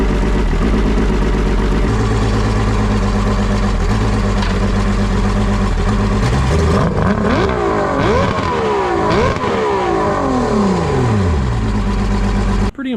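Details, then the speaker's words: Dealer trade-in outboard run on water after long storage, with its missing oil injection line reconnected: steady even idle, then clean revs up and down with no misses or knocks; normal running with good power. "it runs actually really good after sitting for so long and I mean this thing has some power"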